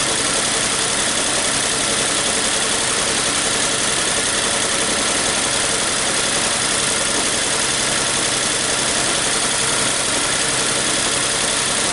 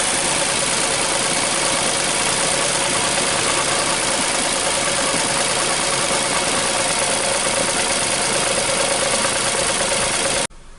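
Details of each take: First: 2014 Nissan Versa 3-cylinder, rough idle with P0303 misfire: lumpy, uneven stumbling idle; scope shows a secondary ignition fault, likely a faulty spark plug; plugs long unchanged with high burn time; earlier No. 2 coil swap didn't fix it. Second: 2014 Nissan Versa 3-cylinder after replacing 2 bad coils and 2 bad plugs, previously running on about 1 cylinder: even, steady idle with no stumble, all cylinders smooth, no trouble codes.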